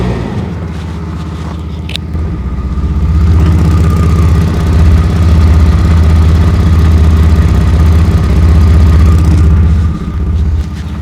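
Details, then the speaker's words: 2004 Chevy Blazer 4.3L V6, idling and revving with loud, deep, rapid puffing from an exhaust leak at the flange between catalytic converter and muffler, where a splined bolt broke off (possibly rust). "I noticed it was getting a little louder and climbed underneath it to find that it has an exhaust leak the flange that holds the pipe that goes between the catalytic converter and the muffler a bolt just completely broke off of it"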